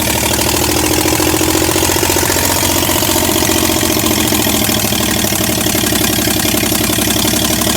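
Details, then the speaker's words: 1965 C10 with a 307 small block, first start in 20+ years, run without exhaust manifolds: loud, raw open-port idle with an uneven, lumpy beat; ignition timing was retarded, later corrected. "Timing wasn't right, as you can see, but we fixed that."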